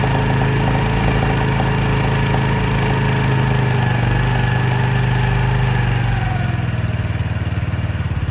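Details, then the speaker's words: 2018 Lance Cali Classic 125cc scooter, first start after sitting, automatic choke suspected sticky: smooth, even idle easing down to slower steady putter after a few seconds, quiet; normal idle. "man that sounds great let let it warm up a little bit"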